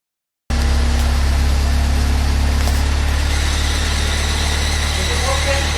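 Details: 1996 Fiat Uno Mille at idle: steady low rumble with an uneven rattling hum underneath. The noise stops at 0:24 when the clutch is pressed and returns at 0:28 when it is released; cause unknown.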